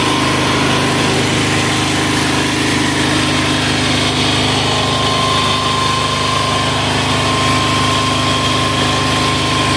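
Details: Amazon 186FA single-cylinder diesel running on about one cup of Road Tech synthetic blend 10W-30 motor oil as fuel, throttle about half: rapid, steady clatter with a constant beat and no misses; idles normally on the motor oil.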